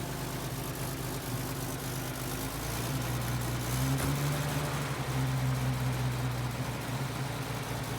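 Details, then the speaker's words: 1930 Nash 420 Standard Six sedan, old straight-six idling: steady, low, even idle with no knocks or misses; runs great and sounds healthy. "It's old, but it drives nicely. It's in great shape for the year. Yeah, it runs great."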